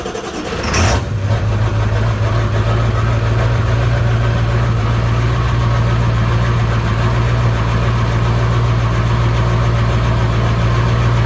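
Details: Ford 7.3 Powerstroke OBS diesel truck, first start since September at about +6°C after replacing the problematic IPR harness and new sensors: brief crank, catches within a second, settles into steady even diesel clatter at idle; healthy start.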